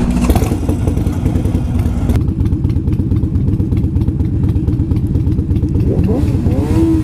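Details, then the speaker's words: Motorcycle ridden after exhaust fell off unnoticed: harsh, raw, popping straight-piped bark while riding, much louder and rougher than stock, muffler missing. "Because I kept hearing a weird fucking noise. I'm like, what the fuck is that noise? Wow. Fuck me. I run it straight piped."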